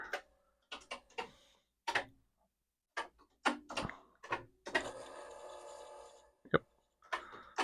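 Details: Commodore 4040 IEEE dual floppy drive, board suspected faulty, during a D1-to-Z0 backup with a microphone on top: dry irregular clicks and ticks with a short buzzing chatter as the heads step and retry after a read error; cause unconfirmed.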